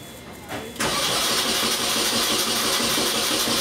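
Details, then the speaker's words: 2002 Mini Cooper 1.6 after the seized alternator was dealt with: brief crank drawing about 100 amps versus nearly 500 before, then catches and settles to a steady even idle, normal cranking. "maybe around 100 amps of current compared to 3 400 almost 500 amps before that's definitely a fix as far as getting this thing cranking normally I think this thing's actually going to run"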